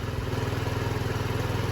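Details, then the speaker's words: 2007 Diamo Retro 50 GY6 single-cylinder scooter with a new intake tube, on non-ethanol fuel with the original fuel petcock, idling. Quick, even pulse with a steady low drone and no misses or knocks. Normal idle. "That one works fine, so we're gonna use it. She's purring just fine. Non-ethanol fuel, by the way."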